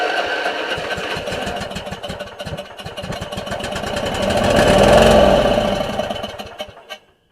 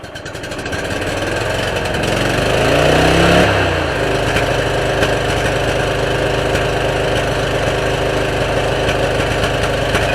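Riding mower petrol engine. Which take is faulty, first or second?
first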